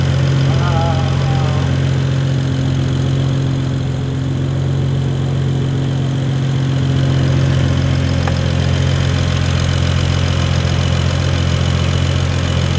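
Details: BMW E92 335i with worn N55 turbo six, running after an intake and intercooler install; drivetrain malfunction warning on, no leaks, water pump working. Steady, even idle with a smooth low hum and no miss, knock or hiss: normal idle.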